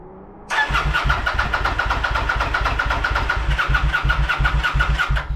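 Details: Kawasaki VN900 bobber under restoration, ECU checked with no fault codes, no spark or fuel earlier: starter churns steadily about four beats a second for five seconds, never firing; cranks but will not start.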